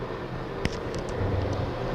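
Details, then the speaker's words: Automobile air conditioner compressor used as shop vacuum clamping pump, fuel-line filter, pulls up to 26 in of vacuum: low steady drone with one brief click, no knocking or rattles; running normally. "I know this thing should have guards on it. Now this will pull up to 26 inches of vacuum, which is pretty good."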